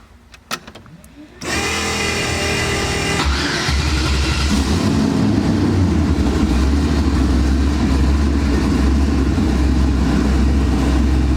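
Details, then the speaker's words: RX-7 with 5.3 Gen 3 LS V8, twin turbo, 243 heads, mild cam, Holley EFI, first start in two years; fast idle near 1000 rpm instead of 850, rumble swelling and sagging; idle surging, wideband O2 sensor suspected. "for some reason the wideband o2 sensor is acting crazy and it's messing up with the idle so right now I want it to idle it at 8:50 and it's idling it like a thousand rpm and it's like surging up and down all crazy"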